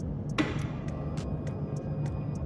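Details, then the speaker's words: Fuel-injected motorcycle, ignition on with injector moved out of throttle body for spray test: steady low fuel pump hum with faint light ticks as pressure builds to the injector; normal priming. "bisa dengarkan adanya suara tekanan dari pompa artinya bahan bakar itu sudah didorong sampai menuju ke corong untuk injektor ini tetapi belum bisa keluar"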